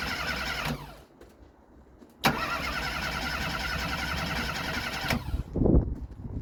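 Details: Abandoned Ford Fiesta Mk3 with rebuilt carburetor, after a new ESC module was fitted; coil firing but timing in doubt. Starter spins it steadily about three seconds and it never fires; crank no start, crank sensor next to replace.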